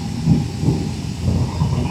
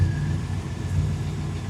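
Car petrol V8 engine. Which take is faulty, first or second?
second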